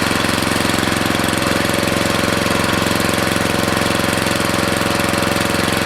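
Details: Briggs & Stratton 13.5 cast-iron-sleeve riding mower engine running with air filter refitted after oil had likely entered through an open exhaust valve while tilted; fast, even single-cylinder firing with no skips, smoke clearing as oil burns off: running well.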